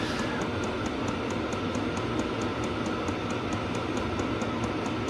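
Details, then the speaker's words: Hcalory/Blazecore second-generation 8 kW all-in-one diesel heater, running on full after 2–3 minutes: steady fan rush with a light even fuel pump tick about twice a second; normal operation, strong heat output. "We're running on full at the moment. And it really is going to kick some heat out."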